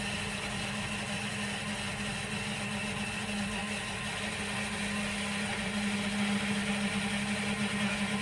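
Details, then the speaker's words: New bilge pump in a boat engine bay, running only with the override on: steady electric motor hum with gurgling, sputtering water as it draws the last bilge water. "Right. So it needs both of them on. Sounds like it's trying to get a bit more out."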